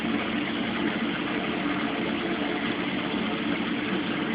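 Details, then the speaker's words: Mueller Special Brazilian washer, cold-fill-only machine that heats water itself, duvet load on 60°C wash with extra rinse, start of cycle: even steady rushing hiss of water into drum, no knocks or surges; normal cold fill. "This machine is cold fill only. And it started to wash."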